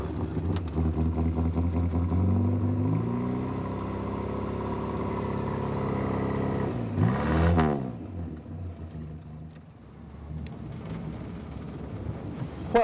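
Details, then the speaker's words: Morris Minor 1000 commercial van: engine starts and revs smoothly with an even note, then settles to a calm idle; healthy. "But on the vans, I don't know why, but that's just the way it's always been, and it makes a lovely sound as well."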